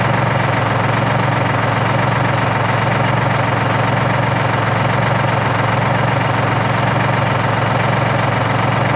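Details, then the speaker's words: 1973 Peterbilt 352 cabover, 12V71 Detroit two-stroke diesel, restored and warmed up: loud even idle with a deep steady drone, no misses or knocks, though one bank seems to do more work; normal warm idle. "so what an absolute ripper just freaking humming boys"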